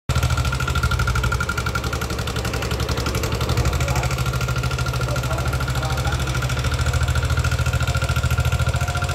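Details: Older Yamaha NMAX scooter idling: a fast, uneven rattly tapping over the engine thrum, suspected to come from either the tensioner or the rocker arm. Rough top-end engine noise.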